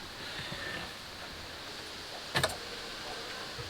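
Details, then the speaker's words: Boat DC-to-DC charger on a Bayliner Ciera, after replacing a faulty ignition trip wire: one crisp double click as the relay pulls in when the key is turned, then the green light comes on; charger switching on normally. "it click [Music] so it is on yeah and now the light there's a little green light on i'm glad that thing did not get messed up and that's all it was"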